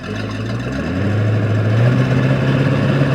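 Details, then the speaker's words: 1996 Sea Ray 260 boat V8 running in reverse with exhaust out through the prop: deep, steady burble that firms up smoothly, no knocks; sounds smooth, though a slight miss is heard, distributor suspected. "go dude that sounded way better than the uh chaperel does it was smooth it sounded really smooth"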